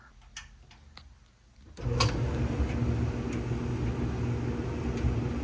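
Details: Whirlpool W330SQ2 stackable dryer after drum support roller replacement, test run: a few quiet clicks, then a steady, even low hum with no thumping or grinding; much quieter, fixed.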